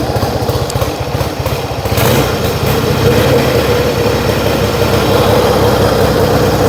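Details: Yamaha XS1B twin after carb rebuild, dead-cylinder tune and throttle screws set for about 1000 rpm idle, airboxes back on; uneven popping at first, then steady even low idle with both cylinders firing, healthy.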